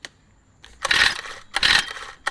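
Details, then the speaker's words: Old Honda GX35 brushcutter: three quick pull-start rasps with no firing, a no-start. Tight valves blamed; valves need adjusting after removing the cover, and the carburetor, fouled by engine vapour venting, may need cleaning. "คือภาษาอาการวาล์วยันนะครับต้องถอดฝาครอบออกแล้วก็ตั้งวาล์วแล้วก็ตั้งมากกว่าเพื่ออาจจะต้องล้างคาร์บูเรเตอร์ให้มีความสะอาดขึ้นไปกว่านี้นะครับ"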